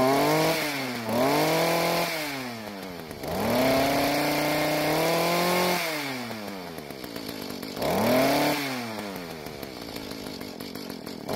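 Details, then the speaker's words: Mantis two-stroke tiller, previously leaking gas and not starting, after carburetor adjustment (L screw turned out about half a turn, idle screw adjusted), revved with no load; revs up cleanly and drops back smoothly with no stumble; load test still pending. "So after the adjustments, it seems to work a lot better now, but I need to try it on some dirt to make sure I don't need to adjust the carburetor when the engine is under a load."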